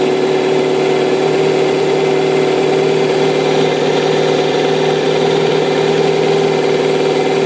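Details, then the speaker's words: 2005 Kawasaki ZX-6R 636cc track bike, 7,219 miles, Muzzy full exhaust, Power Commander, cold start in neutral: started right up, steady even buzz with constant tone, no misses, knocks or ticks. "so sounds like it just about warmed up see it's running really smooth no issues"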